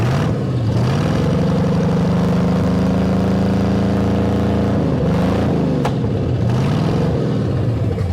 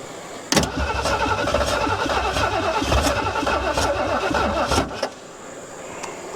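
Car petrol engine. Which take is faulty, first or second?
second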